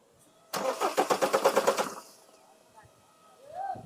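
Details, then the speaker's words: Skoda Octavia 1.9 TDI diesel, check and security lights on, no communication with the ECM: starter turns briskly for about 1.5 seconds with even compression beats but never catches; water-damaged ECM, fixed by replacement. "एक बार मार तो self ले र है लेकिन start नहीं हो रही है यही प्रॉब्लम है"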